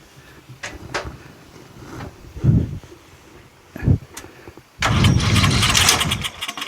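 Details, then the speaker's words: Murray 14.5 42-inch lawn tractor on sprayed starting fluid with choke, battery charged about five minutes: slow uneven cranking, then a short rough catch that dies away; fires briefly but won't run, has compression. "whoo it kind of turned over a little [Laughter] it's promising definitely has compression and it's starting to crank a little better"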